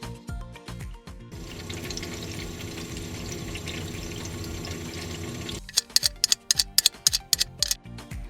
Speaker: Similarly, a flowing water sound during defrosting is also normal, as water drains from the evaporator to the drain pan.